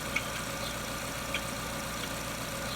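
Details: Jeep Renegade idling smoothly after lambda (O2) sensor replacement: quiet, even hum, no stumbles, dips or hunting. The new sensor's millivolt signal swings normally and isn't stuck; the car had been stalling at stops.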